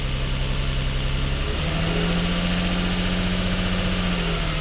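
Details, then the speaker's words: Lexus IS200 with cylinder 1 misfire (code P0301), idling in auto with no warning light on: uneven lumpy beat with a slight periodic stumble; engine not running right, misfire from a failed ignition coil. "feels very feels very Judy yeah that's not right firing it is firing that injector yeah it's definitely not right there's no warning light on at the moment but it's definitely not running right"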